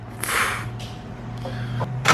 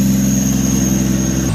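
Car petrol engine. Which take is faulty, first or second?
second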